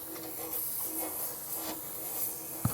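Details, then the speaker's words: FORTE ZA65/50 air compressor after two years of moderate use: steady soft hiss of pressurised air leaking at the valve area under room noise. The leak was fixed by tightening a nut. "ну навіть без мильної води тут навіть відчувається що от десь отут нас почало травити і настільки травить що просто мило"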